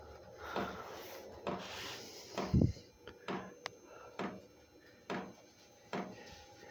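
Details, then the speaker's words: Chinese parking diesel heater at setting H3 in basic operation mode, drawing 1.8 A: sharp, even ticks about once a second in a quiet room before the fan spins up, the fuel pump priming normally. "ly you're gonna hear it start clicking as it pumps the primes the."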